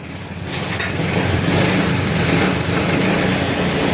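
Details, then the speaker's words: Yamaha Mio i 125 left in the shop for two years, rusted, with pulley, relays and other parts replaced; after the repair the engine catches and settles into a quiet, even idle with a soft steady pulse and no knocks or rattles. "Yan, tahimik na yung makina niya."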